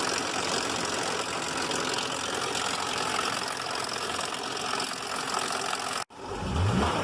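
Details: 2005 Buick LaCrosse 3.6 V6, 142,000 miles, towed in after shutting off on the highway; idling with loud top-end clatter over a deeper bottom-end knock, cylinder misfire codes; failing rod bearing, engine considered done.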